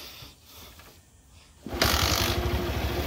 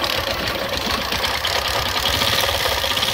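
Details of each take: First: Old Bajaj Platina single-cylinder engine, previously worn out and making various noises, starts after full engine rebuild and reassembly; quiet then catches into a steady, even beat with no rattle, now refined and clean-running. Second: Old Bajaj Platina single-cylinder engine, bike left standing outside, running at idle before teardown: loud uneven rattle and knocking about three times a second over a rough idle; crankshaft worn, crank to be replaced from a donor engine.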